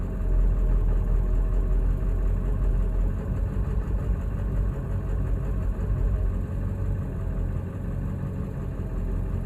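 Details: 2000 Ford 7.3L diesel: a deep idle with an uneven, lumpy beat and slight hunting, rough when coming to a stop. The ICP was changed, the IDM was swapped with no change, and oil and fuel filter were changed; cause not yet found.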